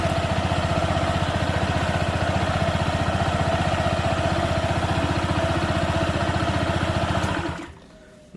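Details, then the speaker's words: Honda PCX 160 with Nmax double clutch linings after 2000 km and roller housing treated with porting glue: steady, even low idle chug with no belt-drive rattle; previous rough noise on deceleration gone. "suaranya seperti itu halus teman-teman beda dengan Sebelum saya kasih Lem porting dia ketika turun gas ada suara kasarnya"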